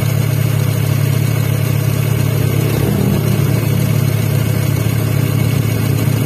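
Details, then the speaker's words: First-generation Honda Brio, idling with AC on after compressor pulley bearing replacement: steady, even hum, no rumble or whir from pulley; AC compressor now running smoothly, roughness fixed. "Nah, udah sembuh guys. AC-nya sudah halus lagi, matikan."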